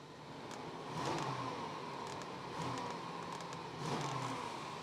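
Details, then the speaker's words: BMW revved: three smooth rev swells with no knock. Before, it knocked repeatedly as revs increased, a bit like rod knock but less severe; now much better and no leaks. "Just give it a bit of a rev. No, I'm not getting that anymore."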